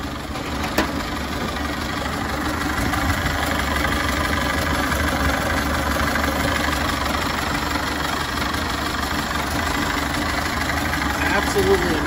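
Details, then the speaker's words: 1930 Ford Model A, 6-volt positive ground, three-speed manual, idling on the other side of the engine: a steady, even soft quick patter and low hum with no knocks or misses; it sounds like a sewing machine and runs well. "definitely it's got a nice sound to it the engine runs great and some drivers from the hook just listen to that thing it sounds like a sewing machine"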